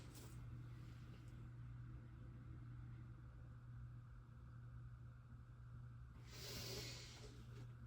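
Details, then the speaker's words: August 2005 Aloha Breeze 42-inch hugger ceiling fan at start-up: steady low hum under the quiet whoosh of the blades, fan performing poorly; motor hum, cause not identified. "Has a hum to it."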